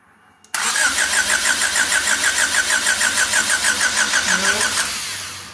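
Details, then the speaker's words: EF engine, after swapping firing order they thought was backwards: starter churns evenly at about three turns a second for four seconds, nothing fires; no start; they suspect distributor wasn't installed at TDC. "nothing all right nothing the only thing I can think of is the dumbass who gave us the motor didn't put the distributor on in TDC"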